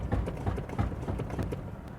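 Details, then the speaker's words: Ford Endeavour, 116,238 km, brakes dabbed while driving after about 15 km: dull low thuds in quick uneven clusters; clunking from worn-out suspension. "यह चलती गाड़ी में break लगा रहा हूं ना। मैं ऐसे टच टच करते हैं तो ढक ढक ढक कर रही है गाड़ी।"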